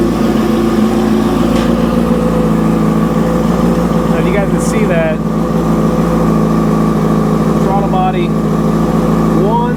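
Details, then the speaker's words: 2005 Yamaha R6 after valve adjustment, idling during vacuum-gauge throttle body sync: slightly uneven lumpy four-cylinder pulse; bodies one and two close, three and four far off, before adjustment. "two are really close three and four are pretty far off and the bank the banks aren't too bad"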